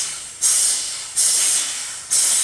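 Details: Porsche 996 Turbo on a homemade boost leak tester: sharp bursts of high air hiss each time air is fed in, fading between. Air escapes at the intake boot, which cannot be pushed fully on.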